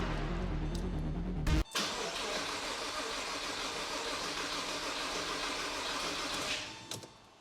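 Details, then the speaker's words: Porsche Boxster base model, engine and powertrain just reassembled and reinstalled, first start attempt with fluids topped up. The starter churns at an even beat but nothing fires because the fuel system is not yet primed. Long crank; it starts after priming. "mind you we need to Prime the fuel system so it is very much not primed currently it's trying hopefully just one more Prime and it'll go"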